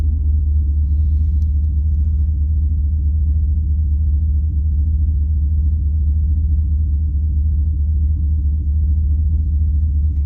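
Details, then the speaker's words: Turbo LS V8 truck, stock cam, HP Tuners tune from stock file, at operating temperature after idle adjustments: deep even rumble, steady beat, no misses or hunting, smooth normal idle. "i did raise the idle up a little bit um it's stock cam though so it look it does like to idle around 600 and it's fine"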